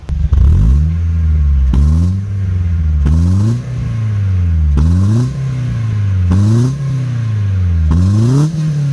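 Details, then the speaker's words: 2000 Peugeot 206 GTi, after 5 years of storage: repeated revs from idle that climb smoothly and drop back cleanly, deep even exhaust note, no misses or rattles; normal revving. "I'm just going to give it a bit of a REV now so you can hear what the exhaust sounds like"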